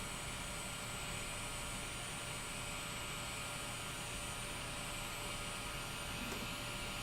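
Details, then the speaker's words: Kingroon KP-3S 3D printer while printing: a steady, thin, high-pitched whine above the even running hum. One of the cooling fans is suspected, and a jab to the fan quieted it. "i don't know if you can hear that on the microphone but this king room started making a really weird high-pitched noise here and i'm guessing it's one of the fans"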